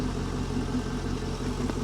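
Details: Salvage-auction C5 Corvette with front-end damage: smooth, steady V8 idle with an even low rumble and no ticking or knocking; healthy idle.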